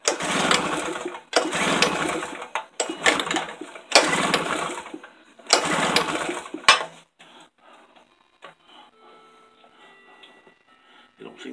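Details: Tailgator small engine that ran when first bought, then sat about three weeks: five cranking bursts about a second apart, then quiet; turns over but never catches, cause unknown.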